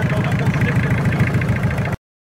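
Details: Toyota 7K engine idling: steady low thumping with a rough clattery edge higher up; a noise is present but its cause is unknown.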